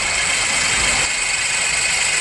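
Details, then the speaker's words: Car at idle, listened close to the alternator through a screwdriver: harsh, steady metallic rasp and rattle, loud up close; worn alternator bearing. "alternator yeah every time it starts to Rattle you can hear it big big time in here just magnified"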